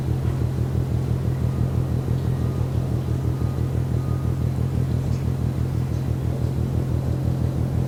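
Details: Ship MAERSK TAIKUNG at Port of Genoa Pra', 1 a.m., recorded from over 1 km away: deep, even pounding about twice a second over a low rumble; steady rhythmic mechanical banging, source unidentified.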